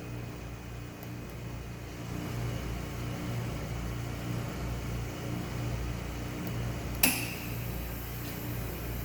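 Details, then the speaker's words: Vacuum Atmospheres Nexus glove box purge cycle: even blower hum, then clicking as the purge vent valve opens once pressure gets high enough; normal purge cycle. "what it's going to do once the pressure gets high enough it's going to open your valve up here you can hear it clicking that's your purge vent valve so this is just a way of purging"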